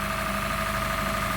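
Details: Honda Fit GP5 hybrid, cold, after valve clearance adjustment, throttle not yet relearned: even, smooth idle hum with constant pitch and no light ticking from the top end; valve noise gone, normal idle.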